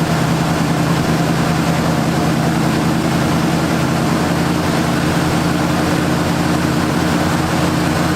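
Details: 1978 Ford Fairmont Futura inline six after GT40P head swap, Holley two-barrel carburetor, just started: steady, smooth idle with an even low throb and no misses, knocks or ticks; healthy.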